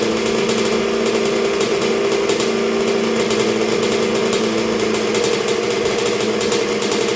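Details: 1986 Honda CR125R two-stroke at first start and break-in after a new top end with a .060 over Wiseco piston, warming through heat cycles while idle is set: steady idle, even crisp exhaust note, no misses or surging; runs cleanly.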